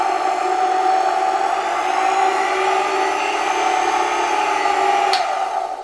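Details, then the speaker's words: Roughly 100-year-old Electrolux 7 vacuum (120 V) run at reduced voltage through a regulator: steady even motor hum with no rattle, the earlier annoying clatter gone; running smoothly. "Die Spannung ist nicht allzu hoch, aber man hört es schon: Für ein hundert Jahre altes Gerät ist es wirklich schön, es funktioniert wirklich gut und man hört nicht das nervige Klappern, mit dem wir in der vorherigen Folge zu kämpfen hatten."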